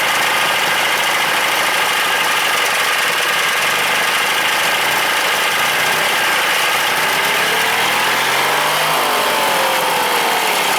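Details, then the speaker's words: Briggs & Stratton opposed twin-cylinder engine at idle: rough, uneven idle with a dull rapping under loud mechanical clatter; owner suspects rod knock, not confirmed. "I can hear knocking a motor I can hear it but it does it idle crazy at idle hmm I don't know guys"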